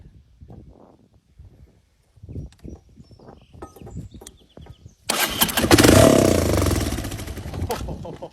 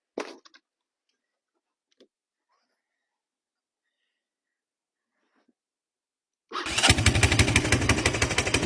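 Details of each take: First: 1982 Honda ATC 200 three-wheeler (believed a Big Red), sat outside about 10 years, run with no carburetor fitted. A few weak cranking pops, then a loud ragged roar for about three seconds before dying. It fires but won't sustain. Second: 1982 Honda 200cc three-wheeler that sat outside about 10 years: a few quiet clicks, then the single fires at once into a quick, steady thump; starts easily and runs.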